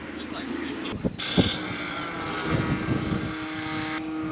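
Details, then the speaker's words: New replacement fuel pump on Wayne, a diesel farm machine, after handling knocks: a steady, even whir with a constant low tone starts and holds; the pump is working and delivering diesel consistently. "[Music] you hear that it's working it sounds like she's running Wayne's now happy he's now got diesel fuel consistently here again"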